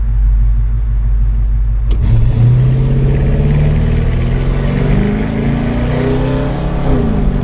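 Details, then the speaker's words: 1985 Chevrolet K20 V8, new Edelbrock 1906 AVS II carburetor with only idle mixture screws adjusted; floored in drive from a stop, where old carb stumbled or did nothing. Rumble jumps, pitch climbs smoothly without bog or flat spot: normal full-throttle acceleration. "all right so I'm in drive I'm going to floor it and we're going to see if it bogs remember all I've done was just the idle screw mixtures"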